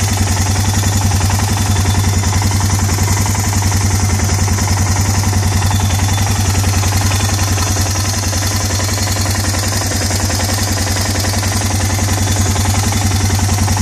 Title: Ticking Noise Much Better